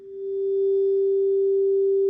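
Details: Fender Dual Showman tube amp, normal channel, 400 Hz sine at about 500 mV into input while checking for parasitic oscillation; pure steady tone with no buzz, crackle or distortion; clean output.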